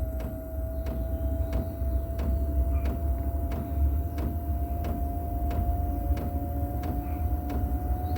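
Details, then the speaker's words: 8kW Gearzaar Chinese diesel heater starting on battery power, glow plug drawing about 5–6 A, with the dosing pump ticking about every 0.7 seconds. A steady whine rises as the fan slowly spins up and the exhaust starts blowing; normal startup. "Fan starts slowly picking up. I can hear the exhaust blowing now."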